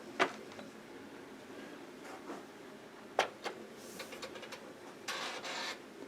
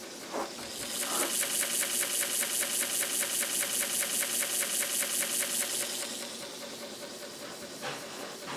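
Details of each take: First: Commodore 1571 floppy drive searching discs. In a quiet room, sparse sharp clacks and brief buzzy sweeps come every second or so as the head moves back and forth without finding any data. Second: Commodore 1571 floppy drive loading the Flank Speed disc. Quick, even head-stepping chatter over a steady motor hiss; it reaches ready, confirming the heads are good. Normal loading.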